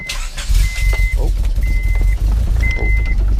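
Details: Turbo Honda Prelude with Hondata ECU, base map loaded, fresh spark plugs, rewired, new distributor, first start after winter storage: brief cranking, then catches at once into a steady, even low rumble, no misfire or stumble; normal start.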